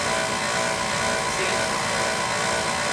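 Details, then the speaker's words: Old oil-fired boiler burner running; steady roar with constant thin whine, burner motor oiled but pump whine persists, suspected oil starvation; burner motor needs replacing. "oiled this motor that pump wine is like it's that it's like it's stopping for oil that's what that's about"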